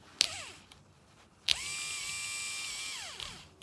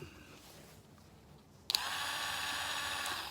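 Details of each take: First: Replacement 12 V DC Valvetronic motor for a 2007 BMW 318i, bench-tested off the car with current applied to its tabs: short clicks, then a clean steady high whir for about 1.5 s that winds down smoothly. The new motor sounds healthy. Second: Original Valvetronic motor removed from a 2007 BMW 318i, a 12 V DC motor bench-tested off the car: it spins up to a steady high whir with a slightly gritty edge. It sounds "bearingy" and unlike its in-car running; worn bearings suspected, not confirmed.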